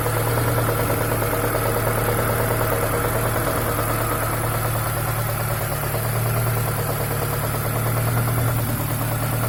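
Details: ZAZ Chance 1.3 at idle: low hum with a faint, loosely regular tapping about three per second, an internal engine knock of unknown cause.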